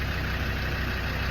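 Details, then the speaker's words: Land Rover Defender TD5 diesel, started after jump pack on low battery and priming fuel pump a few times, during mild restoration with wheels off: even, steady diesel clatter at idle, no misses, knocks or hunting; normal idle. "I had to put the jumper pack on there on the battery cuz it was a bit low, but I primed the fuel pump a few times, press the accelerator pedal, and uh, she's running."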